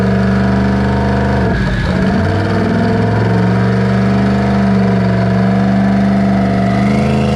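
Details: V8 on a dyno held at high revs with a steady drone, stumbling briefly near two seconds, then recovering. This is a high-rpm misfire. Plugs were being re-gapped from 0.019 to 0.016 in; valve float is suspected, and it is unknown whether springs are stock.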